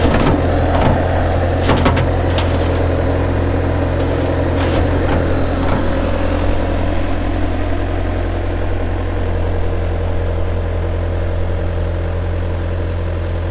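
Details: 2004 Bobcat T300 skid steer loader with a pre-emissions Kubota diesel at 3,664 hours, just started: the engine settles into a steady, even idle with a clean low drone and no knocks or misses. This is a healthy normal idle.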